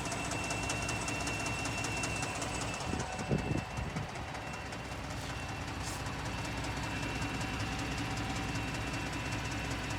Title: 2018 Ford f-150 3.5 ecoboost loud clunking/clicking noise on cold start